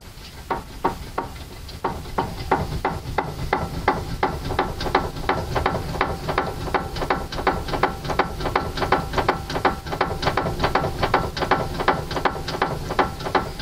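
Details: Steering rack with tie-rod boots removed, tie rods found fine: sharp hollow knocks about three times a second as steering is worked; owner suspects knock inside the rack body, cause not confirmed; steering knock.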